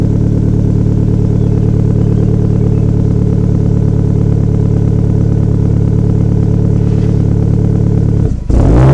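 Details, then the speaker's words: Car with a new resonator-only exhaust (no mufflers) after replacing a damaged muffler and twisted piping, first start after rebuild: deep, loud, even drone with steady pulse, no rattles or leaks; normal running. "So far, there's no mufflers on here. It's just resonators. If you guys think it sounds bad, just throw me a comment down below."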